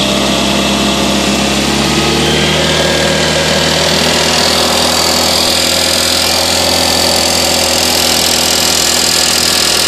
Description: This is my 2000 Toyota Corolla and it started making this ticking sound after the oxygen sensors and the engine coolant temperature sensors were replaced.